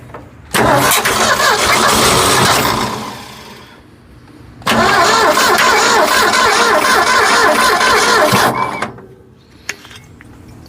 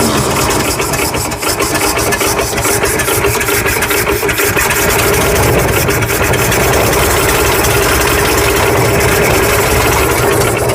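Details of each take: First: Ford F100, previously seized engine, very old fuel: cranks, catches and runs roughly a few seconds on gas poured into the carburetor, then dies; fuel pump not delivering fuel from the tank. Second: Ford F100 truck, previously locked-up engine, now getting fuel from the tank to the carburetor: catches and holds a steady, even idle without dying; runs, though not yet well.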